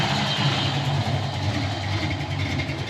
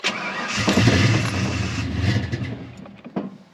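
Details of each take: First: 1988 Ford Mustang LX 306 V8 at normal operating temperature: low, even burble with RPM holding steady. Earlier, cold at about 150–160 on the gauge, it loped at about 500 RPM. Healthy warm idle. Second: 1988 Ford Mustang LX 306 V8 with a running-rich fuel problem, first start after a new oxygen sensor in very cold weather: it catches with a rough, uneven rumble, stumbles and dies within seconds, then restarts. Cause not confirmed.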